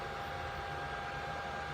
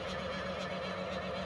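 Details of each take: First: 3D printer's small internal fan after the printer was tipped over for inspection and plugged back in: quiet steady whir with faint constant tone, grinding gone; possibly a piece of debris had been against the fan; normal fan running. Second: 3D printer that resets to standby mid-print, on power-up: steady mid-pitched whir with rough gritty edge as the fan kicks on; fan spins and moves air but grinds on something, not clearly bearings; cause unconfirmed.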